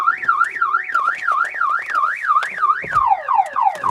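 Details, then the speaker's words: 2000 Chevrolet Impala with no-start and security/passkey fault suspected: turning ignition to on triggers a loud alarm whooping up and down about three times a second, steady and unbroken; cause not pinned down. "Okay, try the ignition to on again to ex to the on position again and the alarm goes off. I ain't going to listen to that more than I have to."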